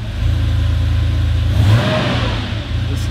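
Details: 1989 Porsche 911 Carrera 964, air-cooled: a deep, smooth rev that rises and settles cleanly with no rattle, tick or misfire; normal engine rev.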